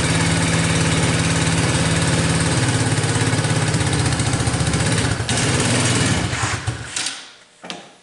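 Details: Tao Motors mini quad, single-cylinder, started on jump pack with choke after dead battery, cold winter evening; putters at even steady idle, then switched off and dies away; runs normally.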